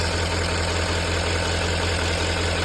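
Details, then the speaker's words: Engine idling right after coolant temperature sensor replacement, first start to check the check engine light and leaks: smooth, even idle with steady low hum, no knocks, ticks or misses; normal idle. "all right let's see oh there she goes all right we'll let it run for a minute and then we'll go out and check for leaks"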